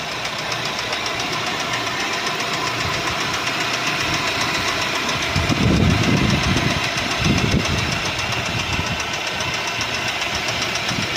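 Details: 2012 Mercedes-Benz C180 S204, M271 1.8 petrol, 156 hp, 159,658 km; heavy, fairly regular knocking about 220 a minute with louder bursts midway, caused by a knocking crankshaft.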